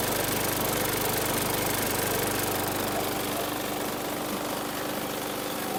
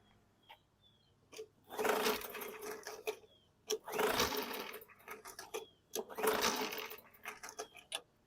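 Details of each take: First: 2019 Murray push mower, 4.5 hp Briggs & Stratton 450E engine: steady, even drone with no misses or surging, holding constant speed; runs healthy after a no-start traced to a tight, dragging safety brake cable killing the coil. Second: 2019 Murray push mower with a Briggs & Stratton 450E 4.5 hp engine: three pull-cord cranks, each spinning freely about a second with little compression and no catch. No-start; the owner suspects an internal or cam gear issue, or a brake cable killing the coil.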